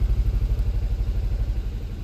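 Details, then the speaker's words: 2019 Kia Rio four-cylinder in drive, violently shaking with flashing check engine light and power loss: deep lumpy rumble from misfire codes P0302/P0303, cylinders 2 and 3 dead; plugs worn with oil consumption, compression checked. "As soon as you put it in drive, car very violently shakes, and the engine light will start flashing in a couple of seconds."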